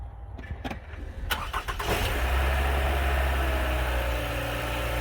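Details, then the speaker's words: Toyota Highlander 2.7L, after timing chain work, cold start after sitting about 7 hours: cranks a couple of seconds, catches cleanly and settles into a smooth, even idle with no chain rattle. Normal start and idle. "damn, it sounds good. Alright, I'm happy with that."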